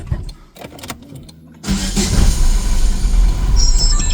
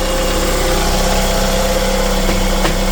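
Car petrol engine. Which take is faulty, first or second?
first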